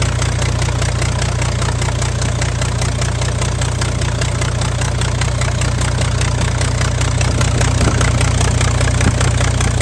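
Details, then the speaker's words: Freightliner Cascadia DD15 diesel after cylinder head replacement elsewhere, burning oil (about 1 gallon a day) with black smoke, idling with exhaust manifold and turbo removed: loud raw barking open exhaust ports, oil seen pushing from number 3 port. "So that's what it sounds like when you actually have the manifold off there."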